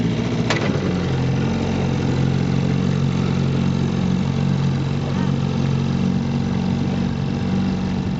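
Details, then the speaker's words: 1958 Johnson CD-15 5.5 hp 8.84 cu in two-cylinder outboard on a pressure-tank fuel system, restored with new coils, carb kit, fuel lines and impeller; it idles steadily with an even burbling exhaust note and no misses or knocks. Normal running. "they really idle beautifully"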